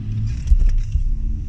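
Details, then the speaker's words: BMW E46 320i with worn rear differential bushings: several dull, heavy thuds within half a second from under the rear on gear changes, the unwanted clunk later addressed by fitting poly diff bushes. "yes it was time to try and tackle the horrible unwanted gear change clunking noise from the back of my car"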